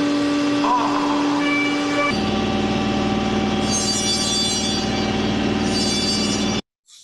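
Steady spindle whine with even cutting hiss and no rising squeal or rattle; a stable, chatter-free cut on the thin wall.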